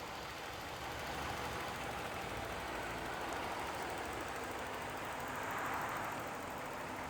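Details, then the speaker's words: 2011 Mercedes-Benz GL450 4Matic V8, heard under the hood idling soon after a relatively cold start: quiet, smooth, even hum with no ticking, knocking or hunting. Healthy idle. "So here you will find the V8 motor idling very happily."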